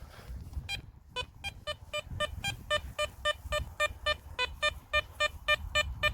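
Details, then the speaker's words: Garrett Apex metal detector over a copper target at about pinpointer depth: crisp, steady, strong high beeps nearly four a second, target ID 61; clean copper target tone. "61 lovely tone that yeah we know it was going to pick that up like that"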